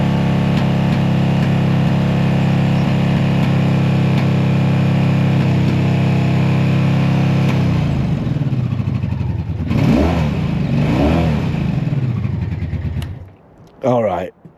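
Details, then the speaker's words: Honda motorcycle (one of V65 Magna, VT500C, CM250T) after sitting: lumpy, uneven beat about 220 a minute with ragged blip on revving, not running on all four cylinders; misfire, owner suspects the filter under the seat. "So, that is not running on four cylinders."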